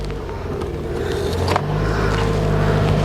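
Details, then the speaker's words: 2009 Toyota Matrix 1.8 L, no crank/no start despite replaced ECM: after starter powered directly, engine cranks, catches and settles into steady idle; cause was a blown starter fuse, replaced with new fuse. "see that i guess we just need a fuse then we just get a new fuse"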